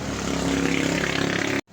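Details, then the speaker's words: Refrigerator compressor run directly on common and running winding terminals without relay, drawing 0.8 A: steady low hum with firm even pulse until shut off; compressor runs and sucks strongly, judged okay. "Palibasa sumisingasing, okay ito. Tingnan natin yung higop. Ayan, malakas naman siya humigop oh."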